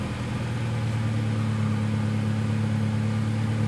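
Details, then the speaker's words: Honda Del Sol after new spark plugs: an even, steady low hum with no misses or knocks. It sounds a lot better and cranked faster than before; normal running. "Yep, sounds a lot better. It turned a lot faster than before."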